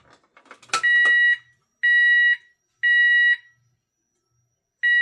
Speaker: Fire LEDs lit. Sounder and strobe are going off.